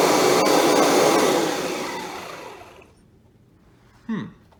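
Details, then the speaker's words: Kirby G5 vacuum after fitting an original G5 transmission switch and new fan impeller: motor winds down evenly, then a short squeak slides down in pitch as the shaft stops; owner suspects the rubber shaft washer or worn motor bearings needing a rebuild. "Shutdown squeak almost went away. Oh, there it is."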